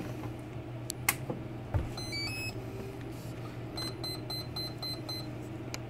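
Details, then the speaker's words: Sieg mini lathe rebuild, speed controller set to low and motor not yet started: switch click, rising three-note chirp, then quick high beeps as the speed controller powers up normally. "if I did it right what you'll actually see is the green light come on and you'll hear the beeping from the speed controller it shouldn't start up though because I got to turn all the way down"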